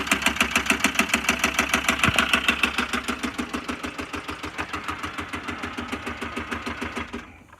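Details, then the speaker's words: Land Rover Discovery 2 TD5 jump-started at idle: a sharp, steady metallic clacking that grows louder as it runs, until shutdown. Engine knock; bottom-end failure suspected and the engine will be replaced. "I think it's actually, the clack is getting louder and louder as it runs."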